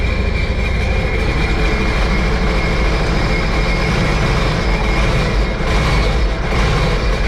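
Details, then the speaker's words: Steady rumble but rough and uneven underneath. This 2006 supercharged Sea-Doo Sportster sat about two years and runs poorly, still on old gas; a supercharger rebuild is also suggested as maintenance. "so it runs um not the best I mean the gas is still old"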